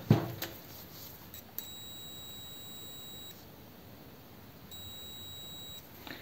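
Two steady high-pitched beeps, about a second and a half then one second, as the probes touch; meter continuity tone working.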